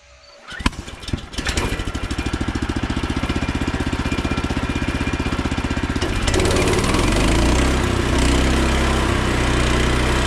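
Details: Frontier OS27 sawmill with a newly swapped 15HP Harbor Freight Predator engine (replacing the 13HP Briggs & Stratton) on its first log cut. Catches quickly and runs steady, then the note deepens and roughens as the blade bites, pulling strongly; normal under load.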